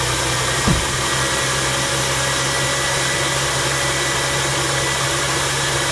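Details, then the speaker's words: 2004 Mercury Monterey after a misfire repair (codes P0316, P0300–P0303, P1270, P0171), with new downstream O2 sensors and a new cat pipe: an even, smooth idle with an airy hiss, no exhaust leaks and no misfire. "Pretty smooth. Don't hear any exhaust leaks. No misfire, so that's good."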